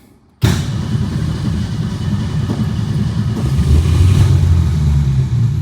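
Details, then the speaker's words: 1962 Ford Falcon, carburetor with manual choke, electric fuel pump, tank low: catches abruptly on fuel poured into the bowl, rough uneven rumble struggling to hold speed; can't get fuel, fuel starvation hard start. "Come on, baby. Old grumpy bitch today. Can't get fuel."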